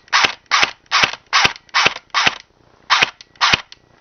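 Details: Rebuilt version 2 gearbox test-fired with crisp, even mechanical snaps about two and a half per second and clean gaps, cycling healthily. This follows backing off the motor after an earlier bad-sounding, burning-smelling run.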